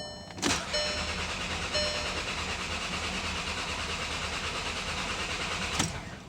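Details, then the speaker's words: Volkswagen CC with P0300 misfires, cranking with starting disabled: starter turns the engine over with an even steady chug, no skipped beats; normal cranking, no cylinder lacking compression. "And honestly, it sounds pretty good to me. I don't hear a cylinder that's not contributing."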